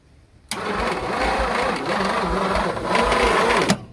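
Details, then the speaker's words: Late-1960s Ford Thunderbird with 428 V8, sitting about 30 years: slow, labored cranking in heavy uneven pulses for about three seconds, engine never fires; weak starter, battery running down, starter possibly burned up (suspected, not confirmed). "Oh, that starter, did you hear it? The finger turned red. Yeah, it didn't last very long, did it?"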